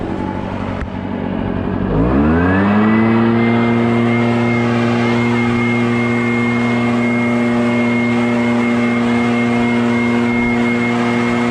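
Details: Barn-find Echo PB650 backpack blower on fresh gas after years stored, clearing a shingle roof: revs up quickly then holds clean, steady high-pitched two-stroke howl, no surging or misfire; normal running under load.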